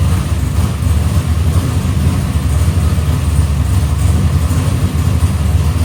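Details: Box Chevy carburetor after a small idle mixture adjustment: deep, steady V8 idle with an even beat and no misses; idle AFR is back where the owner wants it.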